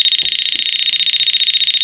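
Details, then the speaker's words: Checking wiring before swapping an old Dimplex TS901 single-pole electric wall thermostat for a TS321W. A voltage sensor gives rapid high chirping, about fifteen pulses a second for two seconds, where electricity is present. Another check stays silent. "It means there's electricity. And this one, none."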